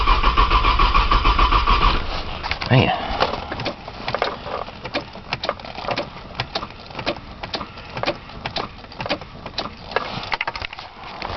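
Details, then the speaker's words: Cold 1995 Nissan Maxima, 210,000 miles, push-button start, in snow, on jump box after fuel priming: steady starter churn, about three or four compression beats a second, a couple of seconds, never catches. Long crank, no start. "prime it again it's a long video cranking trying to Prime the fuel maybe a prime with the fuel pump"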